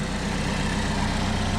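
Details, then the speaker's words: 2011 Chevy Equinox 2.4L four-cylinder petrol with a persistent bad smell, no engine lights, new PCV valve and air filter fitted: low, steady idle with an even pulse and no ticks or misses; engine running smoothly. "The engine is running smoothly."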